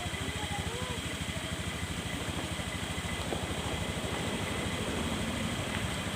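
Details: Carbureted Honda Scoopy single-cylinder scooter after full service for slow, heavy, sputtering acceleration: small engine putters at a steady, even idle with no misses or rattles; running smoothly.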